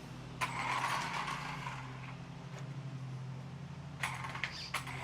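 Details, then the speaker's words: Traxxas Rustler 4x4 RC truck, test run after replacing stripped spur gear, transmission cover off, slipper clutch possibly loose: electric motor hum with uneven creaks and scraping from the gears; owner suspects grub screw rubbing the spur gear. "It's running all right, but it is making a funny noise, I think. See if you can hear that. It might be where that grub screw is rubbing against the spur gear, but it shouldn't be doing that."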